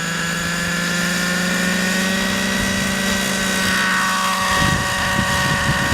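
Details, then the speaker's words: OS 105HZ-R model helicopter engine during run-in, hovering with low head speed and light load: steady droning buzz with soft burbly edge; rich mixture, intentionally rich for run-in. "you can hear it's got a lovely rich sound the hate speeds not that high at the moment we really don't want to worry too much about pumping pitch"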